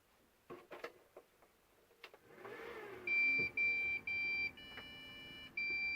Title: Beeping sound when turning on the PC.